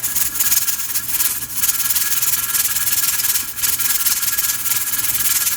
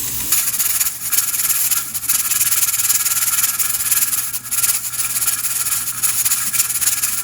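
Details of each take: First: Pressure canner at pressure with 6 raw-pack jars of boneless chicken thighs, timer just started: continuous loud steam hiss with hard spitting surges from the regulator weight, venting too hard; the burner (heat) needs backing off slightly. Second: Pressure canner with 6 raw-pack jars of boneless chicken thighs: steady steam hiss with an irregular rocking rattle, a few times a second, as the regulator weight cycles normally, holding the canner at 10 psi.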